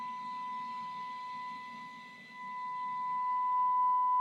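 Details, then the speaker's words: Grundig 2147 radio, FM detector alignment with signal generator feeding 10.7 MHz IF carrier modulated by 1 kHz sine: rough, buzzy distorted test tone shifting as the nearly removed detector core is turned, briefly louder, then quiet, then clean sine, worsening past it; detector misaligned. "See, it went through a phase there where it actually got higher. It was still distorted. Then it gets quiet, and then suddenly there's our sine wave, and it starts getting worse if I carry on through."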